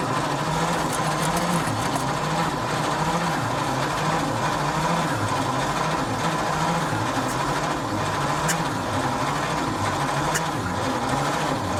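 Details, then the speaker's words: 1953 White WC truck, first start in over 30 years on a jump box, throttle half open while cranking: slow rhythmic starter whirring with no firing catching after it briefly ran; cranks but won't start, owner suspects flooding, maybe timing. "I think I've got it flooded, so let's give it a minute."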